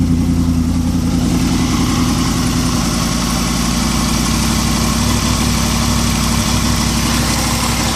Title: Weird engine noise?